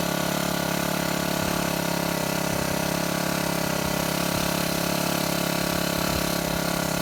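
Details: Shindaiwa HT2510-40 hedge trimmer, C4 low-emission hybrid four-stroke, after clutch and fuel line replacement: buzzes unevenly, never settles or picks up, very little power.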